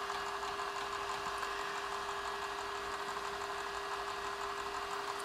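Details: Sharp X68000 Ace HD after repair; floppy had spun with the head not moving. After reset, hard drive and floppy drive spin with a steady mid-pitched whine and soft hiss, no grinding, loading Dragon Buster: normal drive operation.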